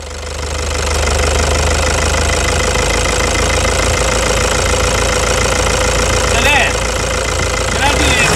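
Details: 2009 Toyota Hilux diesel at idle after the stuck injector was repaired with new nozzle tips: steady even idle, light clatter about four beats a second, no heavy knock; injectors now healthy.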